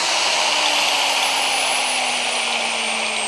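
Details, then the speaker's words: 13-year-old grinder needing brushes and bearings runs with a high steady whine that sags slightly in pitch and has a coarse gargling edge; rough running from wear, cause suspected, not confirmed. "don't know if the microphone picks up the gargling that this thing makes. Yeah, pretty rough."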